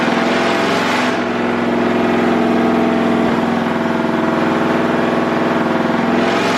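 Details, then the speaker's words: 6.0L LS-swapped Willys Jeep with upgraded cams and heads, loud V8 pulling hard under load on the dyno during HP Tuners custom tuning. The note flattens and breaks up near high rpm instead of climbing. The tuner suspects an electrical cause, not confirmed. "same thing i heard it break up one second should have shot past that i'm thinking there's something electrical that's the only thing that could magically do it at that rpm"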